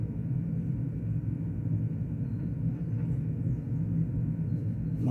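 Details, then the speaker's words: Well-gigged 1990s Vox AC30/6TBX amp powered up off the current limiter gives a loud, steady, low rumble with no rhythm and little treble, alongside a hum. A resistor or a tube is suspected; the cause is not yet found. "Yes, there's a bit of rumbling there as well."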